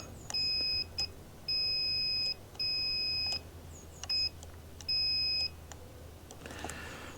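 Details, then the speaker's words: Aquahot 400D RV boiler relay, its charred contacts filed: continuity beeps of uneven length break off and return, connecting only intermittently and with heavy force. "Now multimeter when it has continuity you'll hear that sound. And the problem is that when I test the leads on the back I have if I push that I have no continuity."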